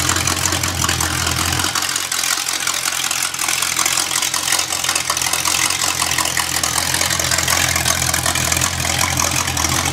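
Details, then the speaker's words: Rebuilt Small Block Chevy engine for a 1974 Corvette, already broken in, idling on a portable engine test stand with oil pressure and temperature gauges. It is a loud, steady, even V8 rumble echoing in the shop, with no knocks or misses. Normal idle. "hopefully you get a concept through the microphone of what it really sounds like because it's quite loud in the shop and it resonates pretty good"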